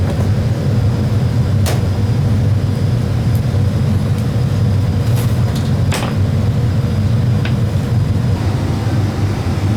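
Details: Daycare gas furnace blower motor drawing high amps, same unit failed before with cooked wiring: steady, even low whoosh with no knocking, squeal or speed hunting; blower sounds normal.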